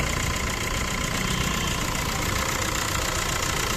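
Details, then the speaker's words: Maruti Suzuki Swift Dzire engine at idle: steady high squeak and fast light chatter from a water pump with bearing play; squeal appears when pulling away in first and second gear. "ये देखिए अपनी water body है, यहाँ पे ये water body में प्ले है और इसमें से आवाज़ आती है, चीं चीं की आवाज़ आती है। गाड़ी में पहला गेयर दूसरा गेयर पाते ही चीं चीं की आवाज़ आएगी आपको।"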